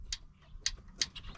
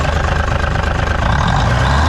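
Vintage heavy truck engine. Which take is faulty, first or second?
first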